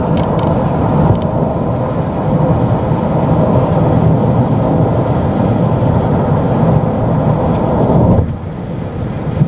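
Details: Heavy, low droning roar fills the van cabin steadily, then drops off sharply near the end; loud interior noise, cause not identified.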